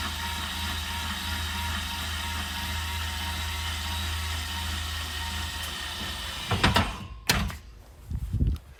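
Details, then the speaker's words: 2022 Zinger 270BH travel trailer electric stabilizer jack retracting: steady motor drone with a constant whine for several seconds, then clunks as it stops; normal stabilizer jack retraction. "and when you're done you just hold retract and it goes back up"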